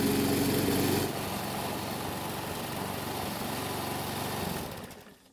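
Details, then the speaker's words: Lawn mower that reportedly wouldn't start, after primer bulb replacement, an oil top-off and fresh ethanol-free gasoline: a steady, even small-engine drone with no misses or surging, winding down smoothly to a stop. Normal running. "So it's been running for several minutes and the engine should be good and hot."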